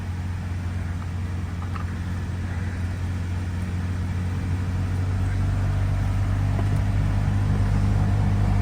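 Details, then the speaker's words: 2014 Toyota Venza idling with the heat on: a steady low humming drone with physically felt vibration, diagnosed as a failing heater blower motor. "you guys can hear that humming noise that's what that is here let me shut it off here turn it on and I can physically feel it vibrating so yeah I do believe it's the blower motor"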